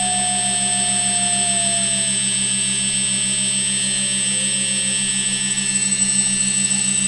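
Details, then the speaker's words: Quadcopter on a MultiWii flight controller, armed at throttle: steady motor hum as left-front and right-rear motors lose speed and stop while the others keep running; owner suspects flight controller settings or sensor. "now you can hear this one that one's slowing down won't be long they'll both be stopped all the way"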